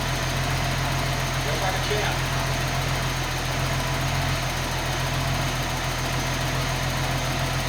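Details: DIY EFI harness with 280ZX Turbo ECU, first test start: smooth, even low idle with a steady beat and no knocks or misses; running cleanly and settled.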